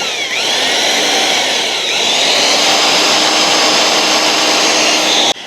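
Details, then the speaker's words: Drilling into a broken bolt for an easy-out while working on the undercarriage of a 1980s West German Liebherr PR731C dozer with 12,000 hours. A steady, high-pitched drill whine holds its speed under load without stalling or chatter. The bit is cutting well, though it later broke. "I can feel it cutting. That's a good bit."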